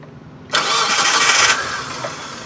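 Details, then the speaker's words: 2013 Mitsubishi T120SS pickup, fuel-injected 1.5 L (1500 cc) engine with clean oil, starts on the first try and settles into a quiet, even idle with no stumble or miss; normal. "Dan ini suara mesin stasionernya, jadi kalau kita dengerin itu suaranya masih normal-normal aja, tidak ada yang janggal. Suaranya nggak pincang juga"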